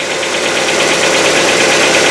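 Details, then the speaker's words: Hyundai Getz petrol engine, fully cold after a day in the garage, old oil: quick even metallic hydraulic lifter ticking at idle, about six or seven taps a second, fading after roughly a minute, before an oil change. "Вот он наш стук. Зимой, конечно, он по времени подольше стучит, пока прогревается. В холодном автомобиле, в холодном моторе звук присутствует."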